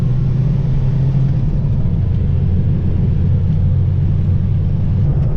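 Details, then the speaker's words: Renault 4L with prepared Cléon 1108 cc engine and freshly refitted cylinder head, accelerating under load after downshifting: deep steady exhaust rumble, duller and throatier than before, pulling evenly with no knocks or misses; engine healthy. "on rétrograde là ça accélère c'est incroyable la reprise qui a comparé à à vente sur tout ça s'entend au pot d'échappement le bruit est plus sourd et plus rock"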